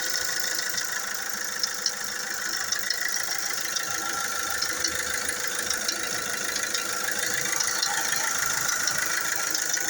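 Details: Fiat Doblo 3 Multijet at idle: fast, light metallic chatter at about three ticks a second rides steadily over the engine. Timing chain rattle.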